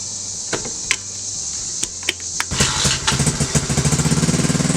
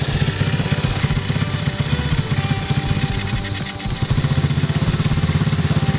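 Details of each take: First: 2016 TAO pit bike, after it was brake cleaned and put back together: catches after a few stray pops, then revs crisply with quick even firing; normal running and revving. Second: 2016 TAO pit bike, carbureted single, idling with centrifugal clutch, choke tried, won't take any throttle: uneven, lumpy putter barely holding idle; carburetor suspected, carb to be pulled.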